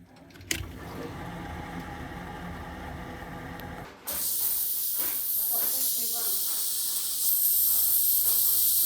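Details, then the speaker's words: Heating system with a newly installed bypass/regulator on the hot water cylinder that was never vented: bubbling, then a sharp, steady hiss of escaping air as the valve is opened during bleeding; air in the heating system. "you can hear lots of bubbling above so we just need to bend that pump blocks today"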